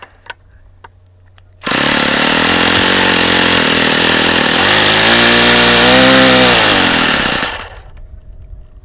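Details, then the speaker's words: Vintage circa-1983 Saito FA-45 model glow engine, ringless with two-piece head, on a test stand with lightweight prop, bursts into a loud, harsh buzzing run with a raspy, gravelly edge from badly worn bearings. "yeah the bearings are really really bad on this engine really bad you can hear how bad those bearings are this engine is not in great shape"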